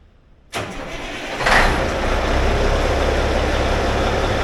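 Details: Peterbilt with a 6NZ diesel, first start after an in-frame overhaul following head gasket failure: quick crank and catch, then steady, even diesel clatter settling into idle with no knocks or misfires; healthy.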